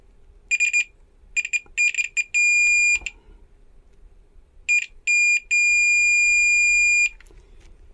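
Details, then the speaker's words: Multimeter continuity test on a faulty MOSFET from an EPS (electric power steering) module causing hard steering: black probe on drain, red on source, then gate; high shrill beeps in bursts, steady when probes settle, showing the MOSFET is shorted. "और अगर मैं इसे gate के दूसरी तरफ रख दूं , तब भी यह बीप की आवाज करता है। यानी कि इसमें शॉर्ट सर्किट हुआ है।"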